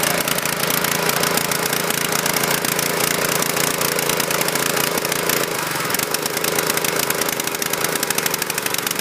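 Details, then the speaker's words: Husqvarna PW3200 pressure washer, Briggs & Stratton CR950 208cc single, submerged in Hurricane Ian flooding, fresh fuel, choke off: fast, dense, slightly uneven beat with a hint of stumble; rough but steady, cause unconfirmed. "so I'm surprised it started without choking it running a little rough but I'm impressed for a machine that was covered in water submerged we got this thing to fire off"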